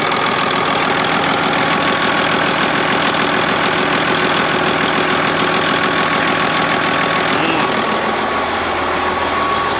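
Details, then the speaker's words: Freightliner FLD diesel truck starting right up after sitting (spider webs everywhere). Steady, even, low-rumble idle after a cold start with no knocks or misses. Normal healthy idle. "There she goes. Oh, there's spider webs everywhere. Holy crap. Okay. Ooh, look at that. Starts right up."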